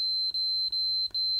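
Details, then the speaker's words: KSGER T12 soldering station enclosure earth mod, after grinding two screw holes to bare metal: multimeter continuity beep steady, briefly broken three times as probe shifts; good earth contact. "and then we bring our continuity tester back in now we have a definite continuity"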